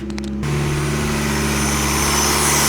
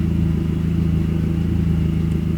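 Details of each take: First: Boosted VW 20V on Speeduino with recycled idle air control valve in on/off mode, engine cold (below 60°C fast-idle cutoff): valve open holds steady, even fast idle around 2000 rpm. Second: VW 20V running Speeduino with a recycled idle air control valve switched to PWM at 200 idle frequency: a steady idle with a constant low hum over the engine note, the valve buzzing at its drive frequency.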